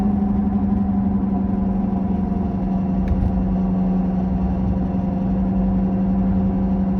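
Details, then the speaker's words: 2007 Toyota Camry driving around 50 with left front bearing bad: low steady growl over road and wind noise, rising with speed; worn left front wheel bearing growl, before repair. "you see now I am speeding up the car and you can see the grinding growling noise also increases with the increased speed"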